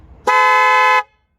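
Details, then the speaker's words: Kia Cerato, 472,000 km, replacement horn with new wiring: one clean blast about three-quarters of a second, steady two-note tone without rasp or wavering; horn working normally after replacement. "вот подключили слушаем вот теперь уже нормально вот это нравится"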